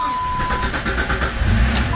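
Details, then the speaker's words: Vehicle that shuts off while driving and sometimes won't restart: cranks, catches briefly with no rpm reading and no rev pickup, then dies again; no rpm signal points to the crankshaft position sensor. "there's no rpm change right here and that is an indication or that points us towards the crank sensor"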